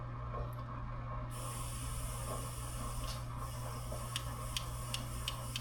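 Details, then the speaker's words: Lawn-Boy mower, Kohler 149cc engine, rebuilt carburetor bench test, blowing into fuel inlet with float pushed up: soft steady hiss of air passing float valve; needle and seat leaking, spring likely installed incorrectly. "Look, it still leaks. So, that ain't no good."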